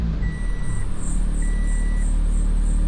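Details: Toyota Corolla (2003–2008) at idle after a new serpentine belt: faint high chirping squeal pulsing steadily over the running, belt drive still noisy; cause suspected, not confirmed.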